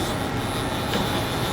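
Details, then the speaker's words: Johnsford CNC mill servo drives moving the X, Y and Z axes back and forth: a steady, even whirr with no knocks, grinding or hunting. The servos sound healthy. "can hear the Y's the servo sounds good"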